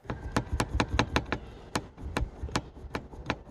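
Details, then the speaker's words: BMW E65 sunroof tilted open, heard while driving: sharp irregular knocks, two or three a second with a faint scrape, steel-on-glass-like rattle; a worn plastic bracket with excess free play knocks and scratches the frame; fix with soft epoxy or by filing the curve. "but what is happening is it's prematurely knocking over there it's almost like this little plastic bracket he has worn out"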